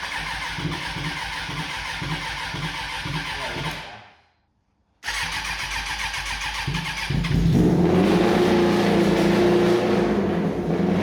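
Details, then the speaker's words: Suzuki Bandit bobber started on choke: fires quickly, then a steady even beat that rises cleanly with throttle; sounds healthy, no exhaust smoke, only a little smoke off the oily heat wrap. "sounds healthy, runs well."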